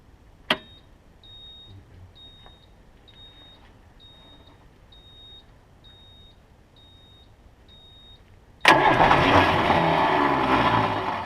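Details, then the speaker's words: Water truck diesel cranked in short bursts while pulling the throttle, air compressor pumping; steady beeping then loud starter churning about three times a second without catching; cranks but won't start, cause unknown. "It doesn't want to start. I'm trying to pull down the gas, too."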